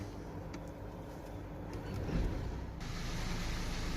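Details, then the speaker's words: 2016 Land Rover Discovery Sport diesel at idle: light, uneven metallic rattle over the low engine rumble, not from the engine itself; loose DPF heat shield. "okay now the car is started so i don't know if you guys can hear the rattling but uh it is a little bit loud"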